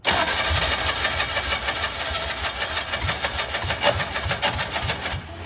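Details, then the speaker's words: Old Cushman-type mini mail delivery vehicle, first start attempts, needle and seat checked: starter churns while engine coughs and pops, nearly catches, then fades; now flooded, earlier lack of fuel suspected. "Come on, that was so close. Oh, wait. We're flooded. We're flooded. Okay, I think we may not have been getting fuel before."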